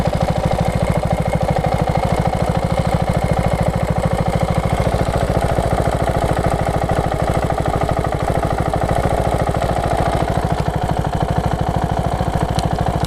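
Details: KTM 690 SM LC4 single-cylinder, warm engine: fast, even light ticking over each idle beat, only when hot. Owner suspects the cam chain tensioner. Running Motorex oil, previously Amsoil 10-40.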